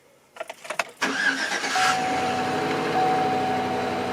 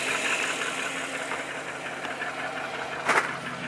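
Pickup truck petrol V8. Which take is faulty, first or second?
second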